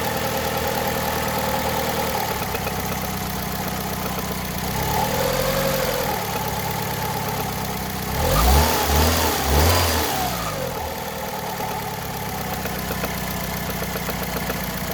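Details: Engine silent while driving but with light ticking at idle that slowly grows louder; owner fears conrod bearing damage. Ticking rides on the idle, briefly covered by a throttle blip, source unconfirmed.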